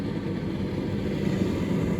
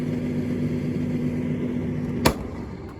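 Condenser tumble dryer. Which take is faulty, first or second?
second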